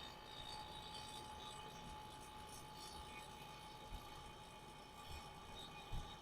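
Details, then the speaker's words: AC vacuum pump on a 2008 Honda Accord after an AC compressor replacement, pulling vacuum with low and high pressure sides opened, before recharging; low, steady drone with constant hum, no knocking or surging, normal running. "Now you start hearing in the vacuum pump."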